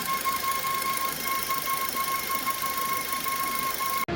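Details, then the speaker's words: Suzuki Ertiga VXI petrol, same noise returning after an authorised service replaced a part for a tensioner bearing complaint; the service centre only checked it on cold start: steady thin whine near 1 kHz over a quiet engine; water pump bearing noise. "இப்ப பாத்தீங்களா so அதே noise அதே sound அந்த tensioner கிட்ட இருந்தோம் எங்க இருந்தோ வருதுங்க"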